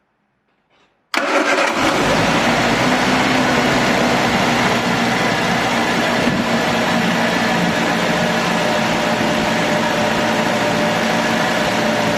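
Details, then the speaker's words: Triumph Dolomite 1300 after fitting new distributor cap and rotor arm: catches quickly and settles to a steady, even idle a bit too fast, engine moving on its mount, no misses; much better than before. "that is so much better than it was so yeah happy with that sounded good idle is a bit too fast I'll sort all that out in a minute"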